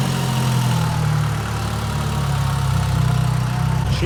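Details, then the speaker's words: Mitsubishi Evo 8 with new motor after an oil leak fix: steady even low idle with a smooth beat and no knocks, ticks or misses; running very nice, nothing leaking, no smoke yet though the intake manifold had oil. "running very, very nice. Nothing leaking yet."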